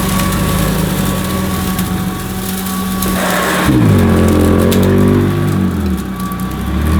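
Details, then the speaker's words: Hoover Decade 80 upright vacuum on high-pile setting on a shag carpet it lifts up: a steady motor hum whose pitch suddenly sags and wavers under load as the agitator brush roll stalls. "well as you could probably hear her again the brush was stalling"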